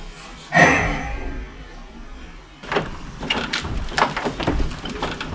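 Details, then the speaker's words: Classic car, hot engine, while tracking down a noise: a single deep bell-like ringing clonk, then scattered knocks and bumps; intermittent clunk, source not located. "Yeah, it's more like a deeper kind of a bell ring. And now I can't tell at all where it's coming from."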